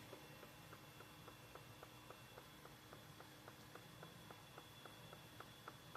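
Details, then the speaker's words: Unknown machine heard from a closet beside a bathroom at night: faint sharp ticks a little under twice a second over a low hum, a steady mechanical tick. "I kept hearing this noise last night and it beside my bathroom. I said somebody knocking boots."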